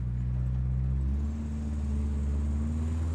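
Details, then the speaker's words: Subaru Impreza GC8 WRX EJ22 after coolant crossover pipe repair and engine teardown: deep, weak, lumpy idle with revs sagging and dying, no power or torque; owner suspects a vacuum leak from something not buttoned up, unconfirmed. "yeah, we have like no power, no torque. We got a vacuum leak somewhere. We definitely got a vacuum leak somewhere."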